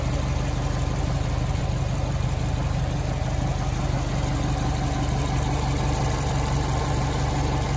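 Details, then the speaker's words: 2006 Subaru STI, stage 4 clutch, Aeromotive AFPR, catch cans, new intake, after fouled spark plugs replaced to cure cylinder 4 misfire: low even idle, steady beat, no dips or stumbles over eight seconds; normal idle. "no roughness in cylinder four no more. Spark plugs, boy. Fouled all the way out."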